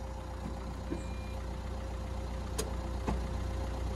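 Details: 2016 Renault Kangoo Crew Van diesel, about 63,000 miles, non-runner; started after battery/jump-pack issue suspected to cause voltage-related fault codes: quiet, steady idle with a soft, even beat around two and a half per second, no knocks or stumbles; normal healthy idle.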